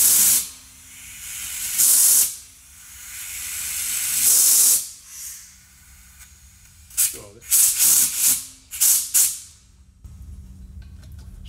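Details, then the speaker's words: 10 PSI high-flow safety relief valve on a nitrogen-pressurized 55-gallon steel drum repeatedly pops off and reseats with sharp hissing bursts while the nitrogen regulator is maxed out (tops out near 17 PSI); relief valve cycling normally, preventing overpressure. "I'm going to turn this on, and you'll hear the safety relief valve popping off and resetting itself."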